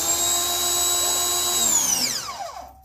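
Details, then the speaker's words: Ryobi 2000 PSI electric pressure washer: steady high motor whine dies within a second as the trigger is released; pump stops normally, but dirt found in the sprayer is blamed for the shut-off fault. "Okay. It's off when the handle is released. When you squeeze the handle."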